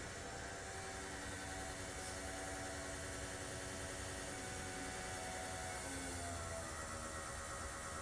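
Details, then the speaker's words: RANS S21 homebuilt aircraft, Titan IO-340 180 hp engine before first start: electric fuel pump turned on with valve reopened to feed engine; faint steady whir with slight pitch dip as back pressure builds; normal fuel pump operation. "I can hear that. The fuel pump has got some back pressure to it."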